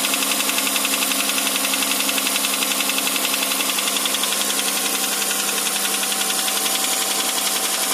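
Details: Hyundai Santa Fe 2.7 (2008) at idle: steady, quick ticking knock at about four per second over a smooth idle; cause not obvious.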